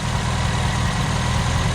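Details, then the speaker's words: 1979 Honda Accord 1.8 CVCC, 5-speed, with Weber carburetor conversion, after heavy flooding: low idle with slightly uneven beat and occasional stumble; valve train sounds good, slight miss, new ignition parts ordered. "like the valve train sounds really good um it's got the slide miss i ordered all the ignition stuff"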